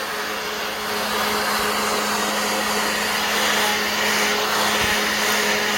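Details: Black+Decker 20V cordless blower on a new battery: strong even fan rush with steady motor hum, no surging or sag; running healthy.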